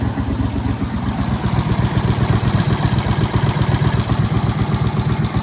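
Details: Brand-new 23hp Briggs & Stratton Vanguard twin on a tractor: even putter about four pulses a second, no misses or knocks, normal idle.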